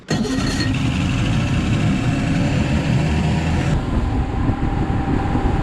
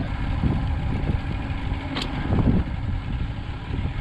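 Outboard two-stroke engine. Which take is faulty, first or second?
second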